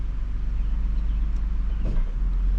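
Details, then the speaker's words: 2013 Ford F-150 after clamping a loose exhaust heat shield that rattled following pothole hits: low, steady idle through park, reverse and drive with no metallic rattle. "I'm back in the truck let's do a test no rattle that had to be it"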